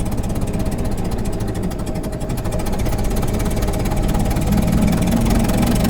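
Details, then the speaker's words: 1927 Ford Model T, hand throttle and manual spark, running at start of drive: steady quick chuffing with a sharp puff each firing pulse, noisier than most due to a slight exhaust leak. "Now this one's a bit noisier than most because we have a slight exhaust leak, but we'll get her up to about 10."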